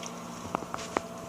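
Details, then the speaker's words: Custom hard-tube water-cooled PC (i7-8700K, GTX 1080 Ti) being bled while tilted: three wet bubbly pops over a steady pump hum as air trapped between the reservoir inlet tube and the coolant escapes from the reservoir. "You can actually hear it gurgling now, which means that there's air in between the inlet tube inside the reservoir and the flow of l"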